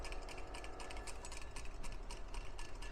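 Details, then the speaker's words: 2004 Kawasaki ZX10R clutch basket, removed and shaken: loose metallic clattering because its damper springs wore against the back of the basket and went slack, the cause of the bike's clutch rattle. "you can hear that's rattling and the reason it rattles is the springs in the back wear"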